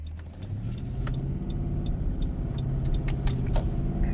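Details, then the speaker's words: 2018 Nissan Titan road test after repairing one broken wire behind its drivability problem: engine pulls up smoothly through the revs under load over road rumble, no cutting out or stumble; normal acceleration. "All right, let's see. I call that a win. All right. One broken wire."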